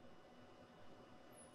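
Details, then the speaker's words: 15 kV inverter for a simple ESD simulator, powered from a cheap bench supply: faint, very high-pitched whine over bench hiss at 1.2 V as it starts oscillating, with output present; normal operation. "hear it whining at 1.2 volts and yeah we are actually getting an output"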